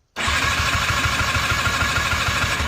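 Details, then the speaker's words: Polaris Xplorer 250 4x4 quad that broke down while plowing snow: fast, even cranking with a scratchy rasp and almost no compression; engine thought to be blown; cause unconfirmed. "and almost no almost no compression a lot of scratching no compression yeah I think we I think we blew it up"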